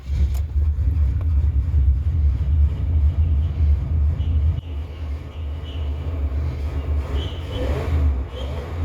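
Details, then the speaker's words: 1970 Chevy Impala 400 small-block, long abandoned, running from a temporary gas can via fuel pump after ether: V8 catches into slightly lumpy steady idle with one brief dip, no oil pressure light; normal running. "Sounds like it's runs pretty good. No oil pressure light, so everything looks good there."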